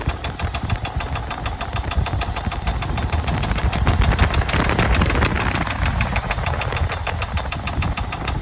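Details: 2000 Chevy Tahoe Limited engine at idle: a rapid, sharp, evenly spaced ticking knock from inside the engine at a steady rate; cause not yet found.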